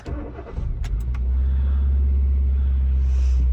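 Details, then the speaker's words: Hyundai i10 salvage, front-end damage, 58,000 miles, petrol: starter catches fast, then settles into a steady, slightly elevated idle with smooth low hum; revs slightly high at start but seems fine; normal start. "so it started off the revs were slightly high. It seems all right to me to be honest with you."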